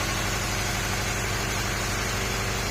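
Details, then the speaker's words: Honda CR-V 2nd gen engine shaking and stumbling at idle as if not firing on all cylinders: an uneven, lumpy low rumble under hiss. "ลองดูเสียงมันจะเป็นอย่างนี้คือมันเหมือนเดิมไม่ครบสูตร"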